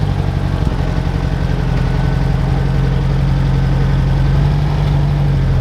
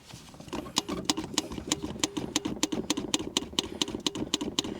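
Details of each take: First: UAZ 469 (old, modified) idling after its first restart following a long period sitting unused; steady low even burble for ten seconds before shutoff, no misses or knocks; owner thinks timing not quite on but close. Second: UAZ 469 (old, modified), revived after long sitting, cranking but not starting after hesitating and dying; steady starter chatter, never catches; no fuel getting through, see-through filter empty.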